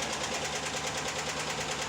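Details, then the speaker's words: 2017 Chevrolet Silverado 6.2 L V8 (AFM/DOD), wheel liner removed, passenger side; sharp rapid metallic ticking about six or seven a second over idle from broken exhaust lifter, cylinder 4; had bent a pushrod, no misfire: collapsed lifter tick. "As you can tell, took the wheel liner out already, but the exhaust lifter for number 4, cylinder 4, on the passenger side here is the broken lifter."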